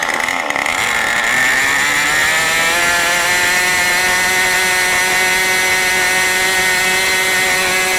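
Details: New OS 40 FSR model engine, second tank, not fully broken in: a high, steady buzzing idle with a slightly uneven, blubbery edge, about 3500 rpm instead of about 2700. The low-end mixture is way too rich and unset.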